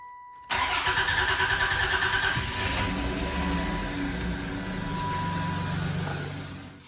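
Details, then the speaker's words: 1993–1997 Dodge Intrepid, fuel pump relay refitted, needing a moment to build fuel pressure: short crank catches quickly and settles into an even, steady idle with no stumble; normal start. "And it'll probably take a teeny bit of time for it to start just because it's got to build fuel pressure."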